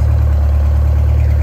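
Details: GM Scenicruiser bus, Detroit Diesel 8V71 two-stroke, next morning after sitting overnight, fired right up: deep, steady low drone with an even, unbroken rhythm and no knocks or misses; healthy idle.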